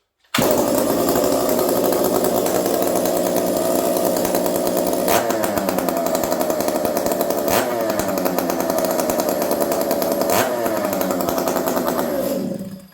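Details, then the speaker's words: Ported Stihl MS460 chainsaw with homemade muffler pipe, fresh motor on first start/restart: catches straight away, loud steady high buzz about twelve seconds with brief dips; slightly lazy first trigger pulls, normal for new motor; normal running. "She sounds good. Started super easy. Notice it was a little bit lazy on the first couple pulls of the trigger. That's normal with a fresh motor."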